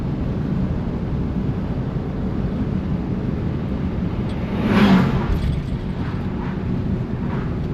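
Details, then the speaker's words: 1955 Chevy Bel Air "Lucy" cruising on damp roads after a no-run problem was fixed: even engine drone under road and tyre noise, no missing or surging. Running awesome, normal. "Oh, she's running awesome."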